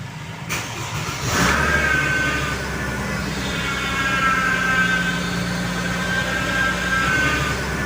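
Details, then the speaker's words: Mercedes-Benz R-Class (W251) as the engine starts and idles: a thin, steady howl rides over the idle, a power steering problem; the engine cover comes off next to check the reservoir. "mendengarkan bunyi yang mengaung pada saat kita menghidupkan mesin hal itu menandakan bahwasanya Hai adanya permasalahan pada power steering"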